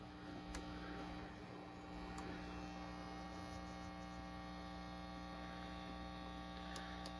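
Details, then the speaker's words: 1976 Silverface Fender Twin Reverb amp, master and channels at five: a steady low buzzing hum with a bright overtone that persists even with volume down. Excessive mains hum from a faulty hum balance pot. "even it all the way down there's still quite a bit of hum in the amp"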